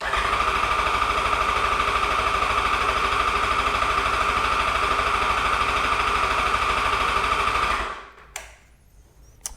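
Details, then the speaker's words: 2008 Yamaha FZ1 after oil/water pump and clutch replacement, cranking to prime new oil pump: fast even cranking about three pulses a second, steady starter whine; strong turnover, battery charged, oil pressure building. "Let's go ahead and crank this over a little more. I like how strong that was turning over, so that's good. So, the battery is definitely charged up."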